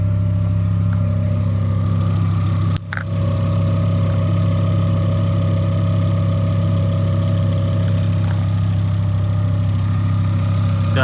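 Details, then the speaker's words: 2005 Volvo S40 T5 at idle on a freshly fitted used alternator, first run during revival: steady faint whine holding pitch over even idle; owner says the alternator is howling, smoke seen near it, top alternator bolt not installed. "alternator is howling a little bit. I don't like that."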